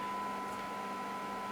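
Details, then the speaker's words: President James CB/10m radio after the receiver fix, with a -113 dBm test signal; steady 1 kHz tone clearly above soft hiss and peaking at 20 dB SINAD; weak-signal reception is back to normal. "You see it is peaking 20 dB, and yeah, so that is telling me that the radio is really back to what we expect."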